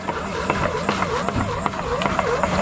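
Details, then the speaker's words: Boat shower/galley sink sump, lower of two pumps kicking on as sump fills, discharging overboard: steady whirring with even pulsing wobble about two to three beats a second, running smoothly; sump pump working normally. "it's the bottom one I can feel it not the top one it is the bottom one see the air bubbles going through here"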